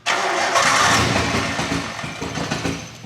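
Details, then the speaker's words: Nissan R32 Skyline with RB20 engine and converted RB25 harness, first start after four years with fuel cell and no exhaust, blipped hard; stumbling uneven exhaust beat, suspected partial misfire, unconfirmed. "okay partial misfire is it misfire is it because it has no exhaust this sounds funny"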